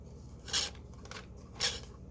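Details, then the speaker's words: 3D printed solenoid motor rebuild, new ring with stronger magnets, not fully buttoned up and running on the felt alone: two short dry scrapes about a second apart; a part was left out, and once tightened down it ran well. "why is it making that sound oh because i don't have that in there"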